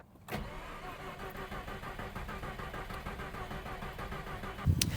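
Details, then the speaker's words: Mazda RX-8 Series 2 rotary, low compression, cold engine before rebuild: slow uneven cranking about four seconds without catching, then a burst at end; hard cranking, no start from weak rotor compression. "There we go. So there's a problem. The motor's cold, and it should start right now."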